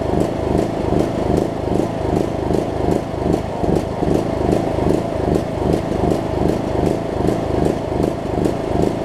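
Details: John Deere LA105 riding mower engine, idle about three years, running around 40°F after tank and carb cleaning, speed rising and falling two to three times a second; hunting, rough surging, owner suspects leftover gunk in the fuel tank.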